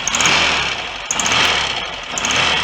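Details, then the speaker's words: Restored Royal Enfield Constellation 700, just running again after magneto points fix, cylinder heads not yet retightened: ragged idle with sharp hissing chuff each firing stroke; blowing head gasket, heads to be tightened down. "obviously have a blow a head gasket there to try and deal with so i'm not going to run it for too long and aggravate that"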